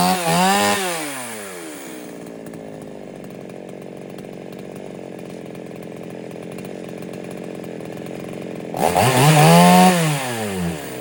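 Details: Foresta chainsaw that would not start, after a carburetor rebuild: the worn, loose rocker arm and needle were replaced, along with all the diaphragms. It revs sharply, settles to a steady even idle and blips cleanly. Normal running.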